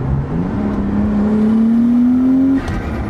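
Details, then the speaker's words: Nissan Skyline R33 turbo, warmed up, after new Splitfire coil packs and spark plugs to cure breaking up: smooth clean pull, engine note climbing steadily under load, no stumble or splutter; runs better than ever. "No more splutter. It's running better than it ever has since I bought the car."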